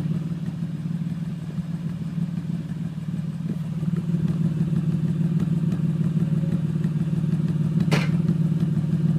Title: 2006 Honda Accord v6 misfiring